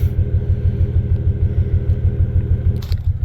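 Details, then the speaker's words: Toyota Tacoma X-Runner after a burnout: deep rumbling idle with heavy uneven lope; scan tool showed misfires on cylinders 1 and 5, then cylinder 5; dead cylinder, owner fears piston damage. "We got a dead hole. Hopefully there's not a hole in the piston."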